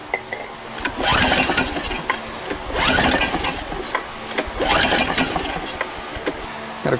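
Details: Generator engine stored several years in a barn with only about 15 or 50 hours, fuel bone-dry, carburetor cleaner added: a few rough pull-start cranking bursts about two seconds apart, never catching; cranks but won't start, compression later found low.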